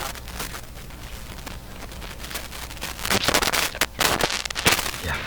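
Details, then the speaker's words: Canadian GE KL500 multiband tube radio, volume set about half: irregular scratchy crackles and pops as the volume control is turned; dirty volume pot needing cleaning, volume lower than expected. "And what do we get? A very dirty volume control."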